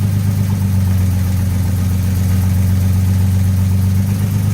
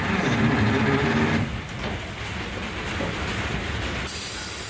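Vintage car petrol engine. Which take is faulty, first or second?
second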